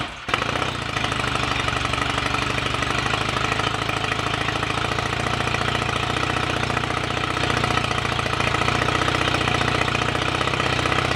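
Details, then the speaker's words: Royal Enfield Rickman Interceptor 750cc parallel twin, first start after owner engine rebuild and gearbox rebuild, timing not yet strobe-checked: fires at once into a steady, even beat that holds rhythm; sounds good mechanically, started willingly. "but we're almost there with it now it sounds good mechanically it started willingly enough so"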